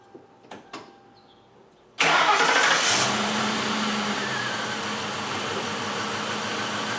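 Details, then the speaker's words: 2000 Ford Crown Victoria after fitting new spark plugs and reinstalling the coils: cranks, catches and settles into a lumpy, stumbling idle of about four beats a second. Two front cylinders on one bank are misfiring; coil packs are bought next. "so we got two of them that are misfiring and there are the front ones on this side so let's keep going"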